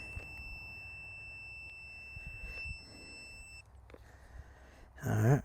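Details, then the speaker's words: Old tractor with new plugs, choke out at half throttle while trying to start: thin steady high-pitched electronic beep for several seconds, cause unknown; owner then suspects the starter failed. "something happened something happening to that I don't know why that's beeping"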